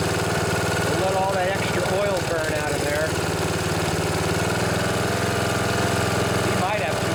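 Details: Snapper SR1028 rear-engine riding mower, Briggs & Stratton flathead single, on choke with no air filter fitted after freeing a locked engine: idles fairly evenly with occasional stumbles and sputters, smoking.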